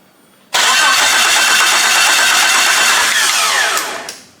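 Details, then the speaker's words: Wrecked two-wheel-drive Jeep Cherokee, engine labeled bad: even cranking for about 3.5 seconds with no catch. There is fuel pressure but the injectors aren't firing. The owner suspects the crank sensor, cam sensor or computer. "it's got fuel pressure but it ain't spraying the fuel even if this was out of sink I feel like it's still it'll be spraying"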